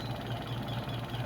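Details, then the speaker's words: Washing machine spin dryer after repair of customer's squeak (langitngit); spin with clothes loaded gives a smooth low hum with gentle even pulse, no squeak or rubbing; suspension fine, problem was the shifting and dashpot; normal spin. "Spin natin. Ayan. So wala na yung langitngit guys. Wala na yung langitngit."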